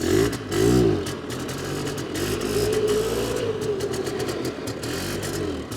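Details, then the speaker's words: 2001 Polaris Xplorer 250 4x4, air-cooled two-stroke with a belt-driven PVT: rough scraping grind from the clutch/transmission when reverse is tried. A stripped sprocket or linkage issue is suspected but not confirmed. "uh-oh oh man that doesn't sound good we won't use reverse what's going on here is a sprocket stripped out"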